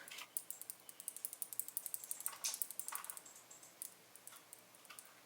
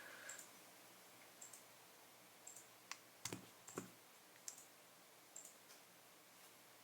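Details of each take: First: Speedcube (V9): quick light plastic clicks from the yellow-blue-orange corner's orange-sticker magnet rattling in its slot, too little glue holding it during turning. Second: V9 magnetic puzzle cube, testing four edge pieces in one direction: scattered crisp clicks as magnets snap, no buzz or rattle, so those magnets are fine; rattle later traced to a loose magnet in another corner piece.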